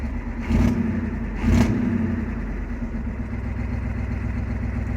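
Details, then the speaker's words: 1988 Ford F250 6.9 IDI diesel after tightening the old battery positive cable to fix a no start: two quick throttle blips rise and fall cleanly, then a steady fast idle; normal rev and idle. "You got to love the old IDI rumbling. It's popping along like that. That's that fast idle fit."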